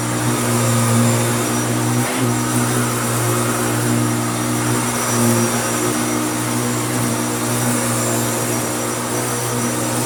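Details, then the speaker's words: Hoover Turbopower U2724 upright vacuum after restoration, little-used, running: steady even motor hum with a constant high whistle, no rattles or surging; normal running. "let's find some power and i'll show you what it sounds like now"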